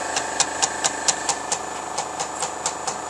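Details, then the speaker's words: GAF 3000S Super 8 sound movie projector bought on eBay, running film: quick, even ticking four to five times a second over a faint hum; mechanism running smoothly and working. "That thing works. I'm glad I actually got it off of eBay."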